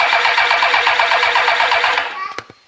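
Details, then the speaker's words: Replacement engine for a 2013 Kawasaki STX-15F jet ski, 67 hours, from a fire department rescue ski, cranking: quick, even pulses for about two seconds, then stops; strong, evenly matched compression. "hey buddy you can just hear how strong the compression in this thing is"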